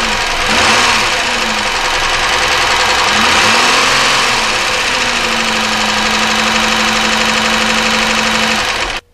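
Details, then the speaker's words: 1999 Chevy Malibu 3100 V6 at a rough idle: a loose, uneven knocking at about 160 per minute under the engine note. It is an internal engine noise, and it is still undetermined whether it is rod knock or a top-end valve or lifter problem. "that didn't sound too good did it so uh that is definitely an internal engine noise obviously the idea is whether this is a rod knock or whether it's a top end problem with maybe valves uh lifter something like that"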